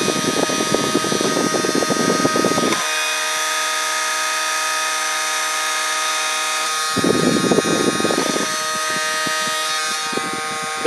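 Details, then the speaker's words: 3D-printed mini electric turbine scaled down about 60%, driven by a tiny RC helicopter motor: steady high spinning whine with rough buzzing swelling and fading in bursts; vibration noise from the printed turbine, not failing. "sound as bad if I hold on to that noise it's just big vibrating"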